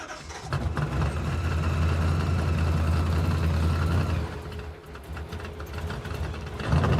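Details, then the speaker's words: Supercharged 426-based Hemi in a '55 Chevy, hot after a road trip: throttle not returning fully, butterflies suspected of sticking in the bore, so the engine hangs at a raised, lumpy idle, sagging briefly before climbing again; sticking throttle causes high idle. "not returning all the way I brought my old throttle body which is a smaller one that makes less power than this one makes but the drivability is you know at least to better"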